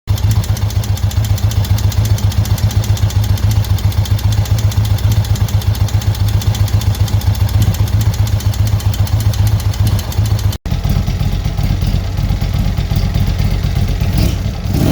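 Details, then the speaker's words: 2017 Indian Chieftain Limited, stage 3 116 big bore kit fitted 2018 without the newer tensioner: loud fast even ticking over lumpy V-twin idle, from camshaft area; owner suspects slack cam chain tensioner (part 3022627), upgrade to 3023459 planned. "okay so real bad ticking noise coming from the cam shaft this i have the tensioner loosened up but as you see this is its full position and right here we got all this slack"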